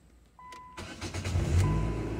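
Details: 2000–2006 Nissan Sentra 1.8 after fuel pump replacement, pump primed a few times with key before cranking: brief starter whir, then catches at once and settles into a steady, even idle; clean normal start after repair.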